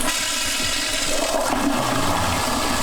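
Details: Clinic plumbing after repair of a noisy water pipe: the toilet flushes with a steady rush of water and no banging or thumping in the lines. The supply pipes are now quiet.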